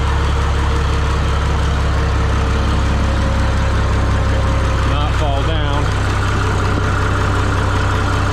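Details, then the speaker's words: Minneapolis-Moline G950 propane tractor idling after doubled exhaust manifold gaskets with RTV and a new-old-stock muffler; steady even low rumble with no ticking where a valve ticked the night before; good oil flow, much quieter, healthy. "down much quieter sounds a lot better that that valve must have really it was ticking pretty good last night sounds pretty good I'm getting good oil flow"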